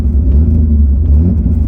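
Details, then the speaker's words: BMW E28 inline-six driving on five of six cylinders, cold weather; deep uneven rumble with lumpy, lopsided beat, shaking the car slightly — cylinder misfire. "You can definitely uh hear the misfire or the mess completely. Shakes the car a little bit."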